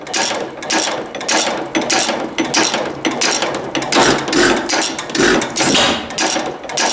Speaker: another dangerous thing reaching here for the throttle. That should slow it down a bit.